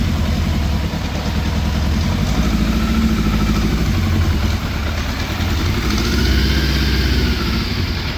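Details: 1980s Yamaha FZ750, fire-damaged, with choke on and a sticky choke cable: rough idle hunting up to about 2000 rpm and back down instead of settling, cutting out as the choke is taken off; carburettors still to be stripped.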